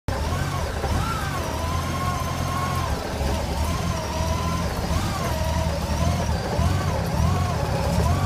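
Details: Honda GL1800 rough idle: low, uneven idle with the beat stumbling and dipping rather than holding steady; cause unknown.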